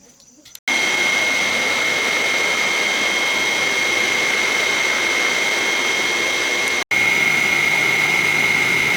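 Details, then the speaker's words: Restored banana slicer machine running after repair: steady, even whir with a constant high whine, no knocks or surging; the motor runs smoothly and steadily. "Двигатель тихонько гудит, затем работает ровно, машина работает плавно и устойчиво!"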